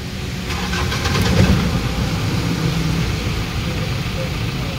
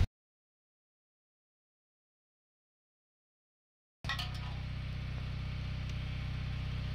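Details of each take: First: Mahindra Bolero BS4 diesel pickup after cleaning the clogged in-tank fuel pump strainer: cranks, catches and settles into an even idle with the earlier pump drone gone; pump now quiet and normal. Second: Mahindra Bolero BS4 diesel pickup that stalls after short distances: steady idle with a constant droning hum from the in-tank fuel pump, labouring because its strainer mesh is clogged with dirt; can damage pump; fix is cleaning the strainer.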